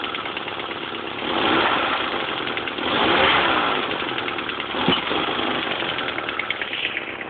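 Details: MR2 Turbo at rough idle with a faint, irregular knock tapping under the engine note, roughly three or four a second; spun bearing or rod knock suspected, not confirmed.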